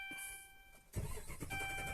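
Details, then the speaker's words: Dodge Ram with fuel pump already replaced and no stored codes: the starter churns the engine steadily but it never catches; no fuel reaches the engine because the fuel pump gets no power from a faulty TIPM fuse box. "आप देख रहे crank कर ही है लेकिन गाड़ी start नहीं हो रही"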